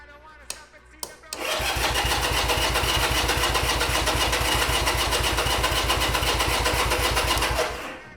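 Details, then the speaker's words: 1975 Honda CB200T twin, start attempt after fitting new fuel filters: starter turns it over steadily, about four compressions a second, for six seconds but it never fires; float bowls found dry, no fuel reaching the carbs. "So, the way I'm going to do this is I'm just going to open up the float bowl and see if anything leaks out of the float bowl. And we are absolutely dry."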